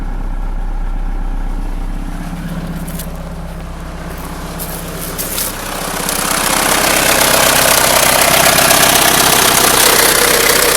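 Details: 1997 Mitsubishi Eclipse at idle: steady quick tapping, about four per second, seemingly from the timing belt area at the front of the engine. It started recently, with no overheating and no oil pressure light. Owner heard it might be the lifters; cause unconfirmed.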